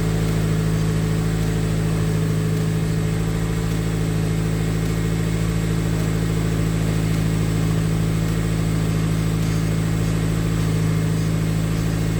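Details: Honda K24-swapped Toyota Camry with newly fitted turbo, manifold and full custom exhaust, first start: engine settles into a smooth, even idle with a steady low hum and no knocks or ticks; normal healthy idle.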